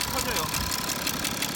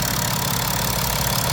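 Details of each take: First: BMW F10 535d diesel at idle with an odd engine noise thought to come from the rear of the engine: quick, even ticking about six or seven per second over the idle. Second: BMW F10 535d diesel after repair (injector bores cleaned, injectors refitted, intake manifold reinstalled, fuel system air-bled with a scan tool): steady, even idle with a smooth low rumble and no top-end tapping; normal idle.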